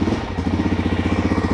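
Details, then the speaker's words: Suzuki DR-Z400 with stock Mikuni BSR36 carb gummed by old fuel and carbon, started hot on choke; lumpy single-cylinder idle pulsing, stumbling and wanting to die when throttle twisted: engine bogs and dies, carb cleaning needed. "it starts pretty wide you see i'm twisting the throttle and it's just it wants to die"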